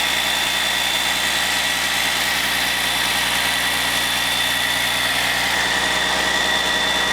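Even, steady diesel idle with a smooth regular beat and no knocks or misses; a healthy heavy engine at rest.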